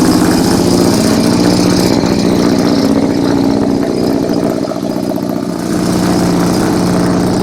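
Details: 1971 Mazda 1200 four-door rotary wagon, from New York, just started: a loud, buzzy, steady idle with a smooth, even pulse and no knocking or stumbling; normal idle.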